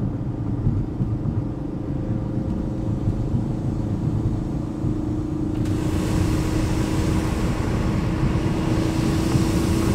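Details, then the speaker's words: Ford Focus RS, newly installed atmospheric blow-off valve replacing recirculation valve, cruising in high gear at low rpm: steady low engine drone, then constant airy hiss joins and continues; blow-off valve venting at cruise. "So what's happening is when I'm cruising in a high gear at low RPM, it has this hissing sound that's going on."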